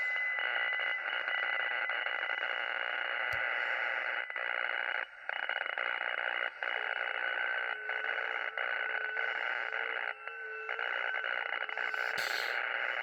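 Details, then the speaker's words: Radio receiver with steady hiss and a rapid pulsing buzz about four beats a second fading in and out, on all bands, several radios and antennas, persists with the house breaker off; interference of unknown source, solar storm suspected. "So I just flipped the breaker on the house. We still got this noise. It comes and goes."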